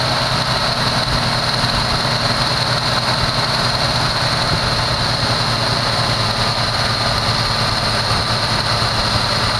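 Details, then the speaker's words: 1974 Chevy Nova, bought cheap and first start with fuel poured into the carburetor bowls: fast, steady idle well above normal with a hissing intake note, heavy smoke; owner first thinks idle was cranked up, then sees the choke still on. "why'd they crank it up like that i see it's the uh the choke is still on"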